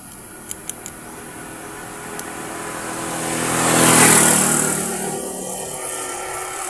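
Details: Motorcycle engine restarted after carburetor work, running with an even, steady beat while a passing vehicle swells and fades; sounds normal.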